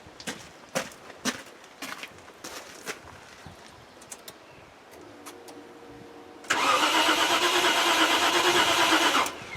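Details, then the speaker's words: Range Rover project, ECU wired straight to battery: starter spins steadily for about three seconds with a quick even churn but never catches; cranks, won't start, owner suspects flooding with wet plugs. "it sounds like it's flooding god it's so close innit i think that's its problem though"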